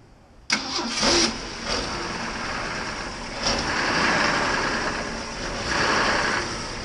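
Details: Engine starts at once, settles into an even, steady idle with gentle rev swells; no misfire or stumble, normal idle.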